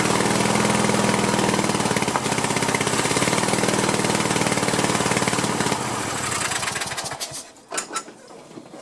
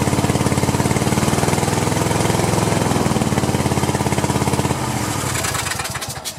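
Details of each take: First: Cub Cadet LT1050 lawn tractor, Kohler 25–26 hp twin burning oil and running rough, run on one cylinder with other plug wire disconnected: even steady firing, no misses; this cylinder sounds okay. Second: Cub Cadet LT1050 with Kohler twin (about 25–26 hp), burning oil, run with one spark plug lead disconnected: uneven choppy pulses with rattly exhaust that stumble and die; rough running on one cylinder, cause not yet confirmed.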